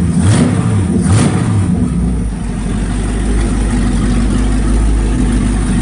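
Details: Chevy truck V8 built over two years for Orange Peel, just broken in with oil changed, temporary non-Quadrajet carb; fires, blips twice, then settles into a steady, even idle with no ticks or knocks; 50 psi oil pressure at idle, healthy.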